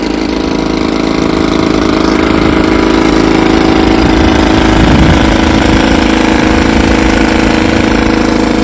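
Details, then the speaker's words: 1954 Evinrude 7.5 HP outboard being lake-tested after its frozen powerhead was replaced: steady, even two-stroke buzz with no misses or knocks. Runs fine. "yep she runs fine all I got left to do is finish the"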